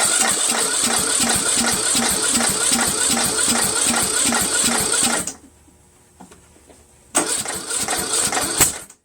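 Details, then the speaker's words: Troy-Bilt 1842 Super Bronco lawn tractor, repowered engine on choke, weak battery boosted by a charger in engine-start mode: steady cranking at about 2.5 turns per second with no firing, then a pause; the engine is flooded and won't fire. "Boom. I flooded it a little bit. I'm going to wait until the battery charger gets the amperage rebuild again."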